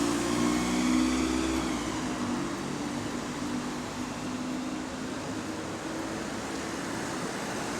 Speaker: Brother, that sounds clapped, fam. What the hell's going on there?